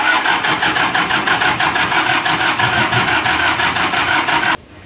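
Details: Isuzu diesel generator engine with hard starting problem: rapid regular cranking chuffs about three a second for several seconds never catch, then stop; cranks but won't fire.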